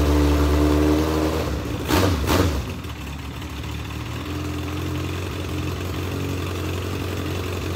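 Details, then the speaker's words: Newly swapped race car engine on first start; lumpy, uneven idle with a brief rev blip and unsteady low beat; carburetor is flooding, dumping too much fuel, only supposed to have a two-pound fuel pump; carburetor to be pulled. "carburetor is just absolutely flooding all the gas so it's only supposed to have a two pound pump"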